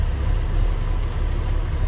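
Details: Iveco 90-16 expedition camper, first start after long storage with two new batteries and new main switch: deep, steady diesel idle, even beat, nothing rattling; healthy. Tank nearly empty, no brake pressure yet.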